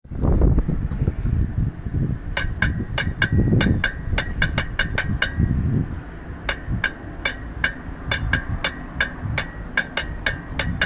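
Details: Ducati 916: sharp metallic rattling ticks, roughly four a second, over a low engine rumble; worn dry clutch with throwout bearing beginning to fail.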